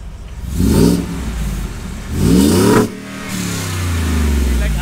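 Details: 2020 Ford F-150 Shelby Super Snake 5.0 after long-tube header and V-band install fixing an exhaust leak: two clean throttle blips, revs climbing and falling smoothly, deep even exhaust note, no ticking or puffing, much quieter.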